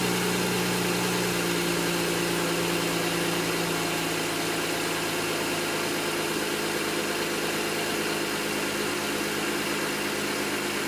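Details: N54 engine misfiring at idle, logged with an IPNA video log: the idle runs uneven and lumpy with an irregular stumble and skipped exhaust pulses.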